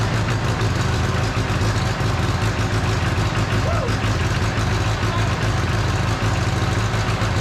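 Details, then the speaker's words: Freshly rebuilt John Deere 1010 diesel idling just after first start: steady low rumble, even beat, no knocks or misses; expected smoke from cylinders oiled on assembly while new rings seat; idling smoothly. "all right now we expected the smoke I oiled everything there's plenty of oil in the upper end of those cylinders and the Rings need to seat so yeah that's all expected"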